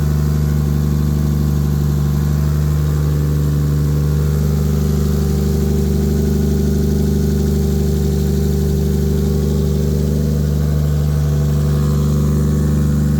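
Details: Normal idle and revving: an 800hp 2JZ turbo Lexus IS300, wrecked in a front-end collision and sitting unused, started on a replacement battery with no coolant and was run only briefly. Smooth, even six-cylinder idle with a gentle rev, no knocks or misses; it still runs like a champ.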